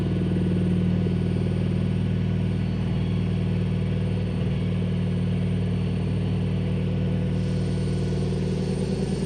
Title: Telefunken (Vestel) Loud Noise When On Spin